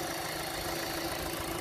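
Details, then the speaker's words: Hyundai Elantra after stalling in floodwater, oil pressure switch cleaned and oil light now out, running without its air filter. A steady, even hum with no knocks or rattles. Normal quiet idle. "here it is running without the filter of course nice and quiet"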